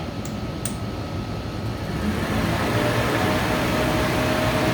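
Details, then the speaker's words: 1978 vehicle after cooling repairs, AC condenser fan powered directly, about 5.5 amps: steady whoosh and smooth motor hum spooling up to higher rpm, no rubbing, ticking or grinding; fan healthy, not hitting shroud. "that's probably about five and a half amps but sounds like it spins at definitely a higher RPM so we're not hitting the Shroud"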